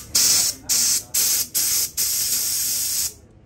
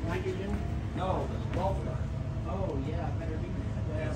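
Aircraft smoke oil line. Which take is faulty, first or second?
second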